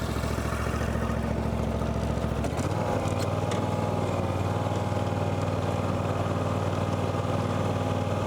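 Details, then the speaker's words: John Deere X350 riding mower, revived after years in storage with a dead battery: steady single-cylinder drone that steps up cleanly as the throttle opens and holds smooth. Engine healthy; charging system later measured at 14.4 V while running. "So, since I have it running right now and the battery was technically dead, I'm going to put my probes on it."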